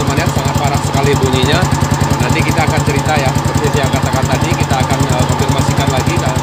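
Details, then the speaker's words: Old Yamaha Vixion after flushing water-contaminated oil (water pump seal/bearing suspected): loud steady knock about 3.5 per second over rough idle; severe engine knocking, cause undetermined. "lalu kita hidupkan lagi semua Hai Pesek pesek Kernel Ini motor memang parah ya"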